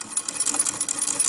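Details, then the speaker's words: 1920s Pathé Baby (Pathescope) hand-cranked home cine projector, original cast shutter doubling as flywheel: light, quick, even clicking about five times a second while cranked; the clunking is part of the mechanism, not a problem; normal. "That clunking noise that you can hear is part of the mechanism. Not an error or mistake or problem."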